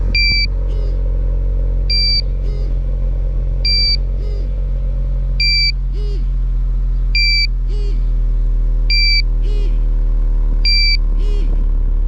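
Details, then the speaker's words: Portable carbon monoxide detector held at a running truck's exhaust, hot 97-degree day: sharp two-tone beeps about every 1.5 seconds over steady idle, reading rising past 1000 ppm maximum, vibrating level-two alarm. "see how it's already Rising there's an alarm now it's vibrating"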